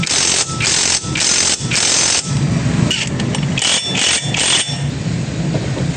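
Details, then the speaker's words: Honda Click scooter after repair of the torque drive, described as only minor and now quiet. Short repeated rev blips rise and fall cleanly with no rattle or grind from the drive. Normal running. "Minor lang. Tahimik na."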